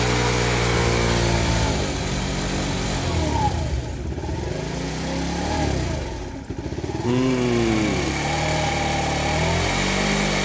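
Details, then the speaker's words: TaoTao 50cc four-stroke Chinese scooter with new float, new carburetor, and dirty fuel filter suspected: putters unevenly, revs sag and stumble instead of settling to idle; bogging down and won't idle, owner suspects fuel delivery, carburetor may need adjustment. "probably need to adjust that to a little bit oh no it's still bugs look at this"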